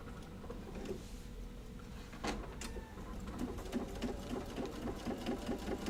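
Quick, even stitching chatter at a steady pace, light and regular with no knocking or grinding; the machine is sewing normally.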